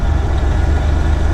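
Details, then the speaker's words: Diesel truck engine with hesitation on throttle: heavy rumble with an uneven, stumbling low beat instead of a smooth pulse, suggesting a cylinder skipping; owner suspects a failing injector, not confirmed. Engine misfire. "kind of sounds like I'm losing a injector here on my truck"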